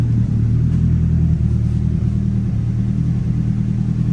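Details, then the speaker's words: Nissan 180SX Type X engine running in a closed garage after repair work: deep, steady rumble, firing evenly with no knock or miss; normal idle, though a small oil puddle was found afterward. "what a trip man so it definitely sounds good guys"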